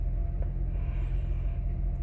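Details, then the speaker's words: 2006 Honda Accord 3.0 V6 after fixing misfires on cylinders 5 and 6: steady, even idle without stumbles or shaking; normal idle. "the car was shaking pretty bad right now there is no shakes at all you can see the transmission this is not shaking there's no shake at all nothing"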